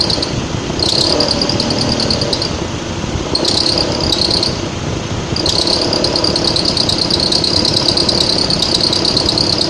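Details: Mitsubishi ASX 1.8, warm engine, A/C on, around 1100–1200 rpm, usually in hot weather. A high chirping belt squeal comes in bursts. Fixed by replacing the alternator lacking an overrunning clutch with one that has it.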